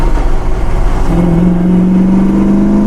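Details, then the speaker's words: 1964 Pontiac GTO, freshly rebuilt 389 taken to 400 cubic inches with tri-power carbs, on the road: a deep V8 rumble climbs with rising induction howl, pulling clean and even; healthy, tight acceleration. "Yeah, it sounds nice. It's cool. It feels really tight, and you hear what you want to hear, and that's it."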